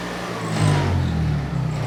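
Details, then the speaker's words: Early-1980s Honda EX5500 generator, liquid-cooled twin-cylinder, after sitting five months: starts readily and runs with a low, steady, even drone and no knocks or misses; healthy. "Yeah, it looks like sitting for 5 months had no negative consequence on this machine. It still starts, engine sounds good,"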